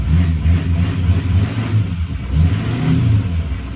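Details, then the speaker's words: L5P diesel with newly installed Calibrated Power 64mm turbo: deep steady rumble rising and falling with throttle, no loud whistle; owner says it sounds different but not obnoxiously. Normal rev. "I like it. It sounds different, not obnoxiously different though, and I like that."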